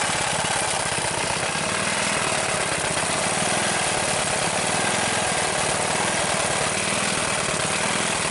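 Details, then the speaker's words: Rebuilt Briggs single-cylinder engine with new rubberized head gasket and muffler, venturi adjusted: rapid even popping at a deliberately slightly fast idle, no misses or knocks; normal fast idle. "It's not idling real low, but I don't want it to idle too low."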